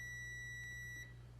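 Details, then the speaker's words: 2009 Chevy Trailblazer 4.2 4x4, crank-no-start with P1682: one steady high beep of about a second testing the whole circuit after temporarily twisting in a replacement wire. The circuit is unbroken and good. "and then took the other end here now if I test that whole circuit again it's good"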